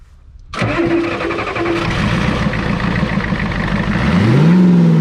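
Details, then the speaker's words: Ford F-Super Duty 7.3 IDI diesel, started with a spray of ether in the intake: cranks briefly, catches and runs rough and uneven with swelling revs, then stalls; suspected loss of fuel system prime or an air bubble. "so i think what happened there gang is it lost its prime in the fuel system or we ended up with an air bubble"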